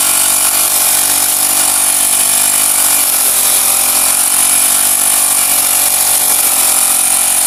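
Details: Honda GX35 grass cutter after cleaning its dirty carburetor; spark plug, fuel filter and clutch were fine: high-pitched steady buzz at high revs, holding even without surging or stumbling. Normal running at high revs.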